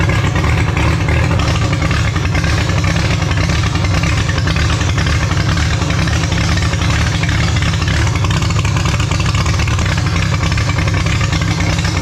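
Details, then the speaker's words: Holden grey motor six in a HAMB dragster with triple Stromberg carbs during carb synch: deep loud low-rpm burble that never smooths out; big cam overlap means it won't idle below about 1600 rpm, pumping raw fuel out the exhaust. "as you notice with this thing it's a real pig it doesn't really like idling um anything under sort of 1600 uh rpm um with the overlap on the cam it's just pumping raw fuel out the exhaust pretty much when it's sitting at idle"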